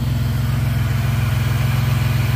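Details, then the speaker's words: Engine idling after replacing the lower intake manifold gaskets, which stopped a coolant leak; the resonator was removed during catalytic converter replacement. Steady, even low idle with a smooth, regular muffler pulse and no skips or stumbles; it sounds healthy. "the resonator was really cutting down on the tone of that muffler so it was really suppressed but now boy it sounds it sounds good"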